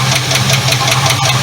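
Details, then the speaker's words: 1976 Ford LTD V8 at idle, still ticking at about five taps per second from the rear of the top end near the #8 intake rocker; plug misfire fixed and now firing on all cylinders; owner suspects a bad lifter, unconfirmed. "Okay, well you can hear it's still a tapping around back over in there. So you guys can comment down below, all you viewers out there, tell me what I'm missing here."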